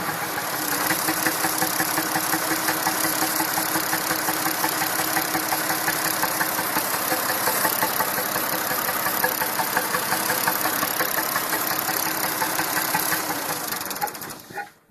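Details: Massey Ferguson 2645 tractor, Perkins 6-cylinder diesel, owner claims rebuilt 100 hours ago: warm engine cranks slowly and steadily, about three beats a second, some fourteen seconds without catching; poor cold and warm starting, suspected low compression from a poorly closing valve.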